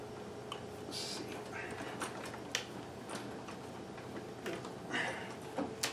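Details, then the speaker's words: Singer 411G sewing machine on a treadle with a custom heavy balance wheel, original clutch removed. Slow treadle stitching with soft, evenly paced ticking and no binding or clatter. The heavy wheel now gives perfect slow control; normal healthy stitching. "of course here's the level of slow control that I can now get which is perfect"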